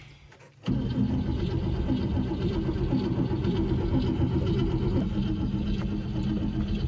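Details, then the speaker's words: 1959 Cadillac cold start: cranks briefly, catches at once and settles into a fast, slightly rough idle that stays stuck on high idle; growl probably from the power steering pump. "There she is. Stuck back on high idle again."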